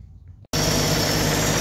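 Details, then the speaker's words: 1964 Chevrolet Impala, after sitting since 1995, just after oil change with fresh Valvoline mineral oil and new filter: catches at once, settles into steady, even, smooth idle with no misses or knocks; normal idle. "fresh oil is in i'm gonna let it run for a while then we're gonna top it off she's running pretty smooth"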